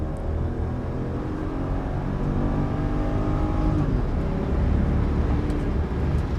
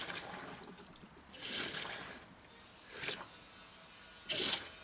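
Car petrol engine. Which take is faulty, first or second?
second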